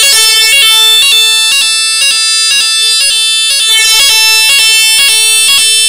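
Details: AVSU PZ fire alarm sounder, opened up to show its five terminals, sounding on battery power: loud shrill warbling tone pulsing about twice a second with nothing underneath; the sounder works as it should.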